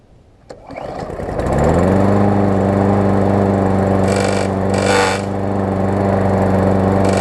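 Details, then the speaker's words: New Murray push mower crushed in its box (deck twisted, block cracked), started with starter fluid after repairs: the engine settles into a steady run with intermittent raspy scraping as the blade hits the bent deck. "I've still gotta pull the deck out a little bit because it's hitting with the blade some"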